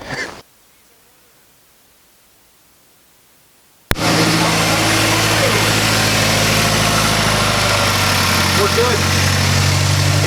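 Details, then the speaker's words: 2006 Mazdaspeed 6 after a misfire was fixed by replacing a coil pack: after a quiet pause the engine catches and holds a steady, even idle with no stumble or miss. Healthy. "So yeah, the car runs freaking good now. Well, as good as it can. It's a Mazda."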